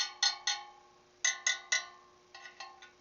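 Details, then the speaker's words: Motorcycle spoke wheel on a truing stand after relacing, spokes tapped in turn: a row of bright metallic pings, the last few duller and lower in pitch, revealing a loose spoke that feels loose too. "You hear that one's just a little bit lower, and it feels a little loose too. Nope, definitely, there's a loose one. It's like a bad tooth."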